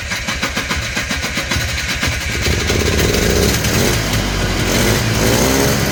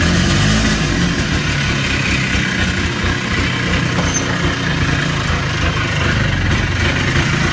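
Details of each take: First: Polaris Trail Boss 250 two-stroke, just revived: catches with uneven popping, then only holds on throttle with a rising buzzy rev and won't idle. The owner suspects the carburetor idle circuit is still plugged. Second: Polaris Trail Boss 250 ATV (titled 2000, owner guesses 1988 or 1992), idling outdoors in cold weather after carburetor work. Fairly even, low, slightly uneven thrum with no misses or knocks. Runs fine now.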